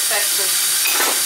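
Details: Unvented kitchen sink drain: a short hissing, bubbling rush as the sink empties, with air sucked through the trap because there is no vent pipe, causing the gurgle.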